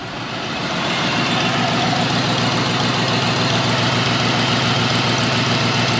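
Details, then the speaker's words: 2003 Cadillac DeVille 4.6 Northstar V8 at idle, shaking: rough uneven lope from one misfiring cylinder, code P0306 (cylinder 6); carbon-fouled plug, coil pack replaced, then four front clogged injectors replaced to cure misfire. "let's start the car so you can hear the misfire oh it's shaking"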